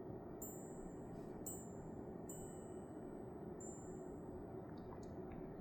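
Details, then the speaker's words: Winix 5520 air purifier running: a steady fan rush with a clear bell-like ding about every second. This is an odd chime during operation whose cause is not confirmed; a mention of plasma off accompanies it. "like bells ringing. Ding, ding, ding. That's plasma off."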